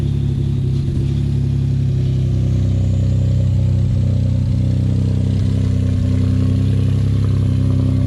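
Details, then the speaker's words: Ford F-150 3.5 EcoBoost after an overnight cold start, running Lucas heavy-duty oil stabilizer and full synthetic oil: steady low idle with no timing chain cold start rattle. "all right guys so I'm very excited to let y'all know that after multiple days of having the Lucas heavy-duty oil stabilizer as well as full synthetic oil in my f150 we have not experienced a cold start rattle noise"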